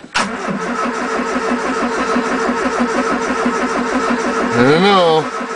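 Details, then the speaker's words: 1980 Triumph Spitfire 1500, Weber two-barrel carb, freezing cold start: steady starter churning, about three compression beats a second, for several seconds without catching; battery sounds close to giving up. "sounds like the battery's gonna give up well a couple more cranks baby"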